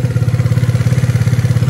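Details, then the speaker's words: Piaggio Zip scooter idling just after a service, soft even low thump with no knocks or rattles, sounding smoother and quieter than the noisy one awaiting service; normal idle. "lebih lembut suaranya kedengarannya lebih soft gitu suaranya"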